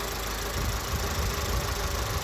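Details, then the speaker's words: VW Polo Vivo 1.4 CLP petrol engine after a complete rebuild; it made a bad noise before. Now a smooth, even low rumble with steady firing and no knocks or ticks. It is idling normally. "So now car is idling normally."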